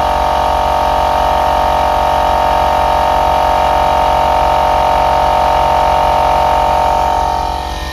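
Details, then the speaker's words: Onboard air compressor on a 1996 Jeep Grand Cherokee 5.2 V8: steady even mid-pitched motor hum, no knocks or rattles, building pressure until it vents a little air and cuts off at 135 psi; normal compressor running. "we can see it's building pressure cranking right up no problem and then what will happen is when it gets up to 135 you'll just hear it release a little bit of air and then the compressor will kick off"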